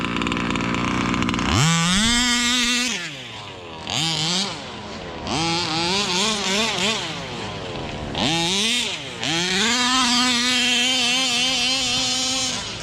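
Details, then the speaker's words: Rovan Baja 5b 1/5-scale RC two-stroke, single speed, needles left unadjusted, owner had reported problems: revs up cleanly and drops back repeatedly with no stumble or misfire; normal running under load. "A little more traction on tires, but this thing running good. Sounds good."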